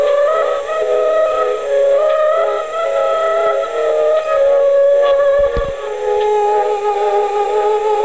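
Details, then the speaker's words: 1960s Aiwa TP-40R portable 3½-inch rim-drive DC-bias transistor reel-to-reel recorder, leaky electrolytics replaced and bias resistor adjusted: music playback whose held notes waver in pitch every few seconds. Wow, i.e. speed irregularities, from the low-quality rim drive. "anyway you can hear this speed irregularities and you know come in every now and then you know and all the little Wayne's a rim drive low quality for transistor DC bias rim drive recorder"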